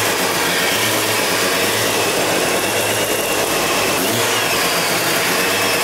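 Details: Mazda FC RX-7 13B rotary first start: choppy, lumpy brap at a steady idle speed that holds evenly without stalling, running as it should.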